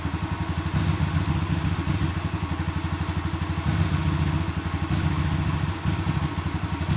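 Lumpy, uneven idle with loping beats and occasional stumbles instead of a steady thump; rough running, cause not clear.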